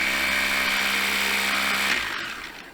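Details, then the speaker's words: Samsung Jet 90 Pet vacuum turbo brush after repair, with the pulley now on a sliding bearing and the brush refitted: steady, smooth high whirr and a clean spin-down with no rattle. Much improved; owner suspects the belt still causes some noise. "doesn't have those effects anymore, so it means that when it's holding the gear, it's working a bit better. I think the improvement is significant."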